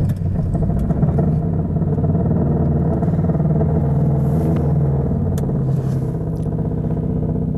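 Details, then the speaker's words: 1989 Toyota Corolla AE92, carbureted 4A-F, 7AFE headers, cat delete, cold start at about 18 degrees, neutral: loose metallic rattle about three a second over low rumble; exhaust rubbing subframe, hood prop also rattling cold. "that rattling that you can very obviously hear is just the exhaust rubbing against the subframe of the car and it's the hood latch as well the hood prop it rattles when it's cold"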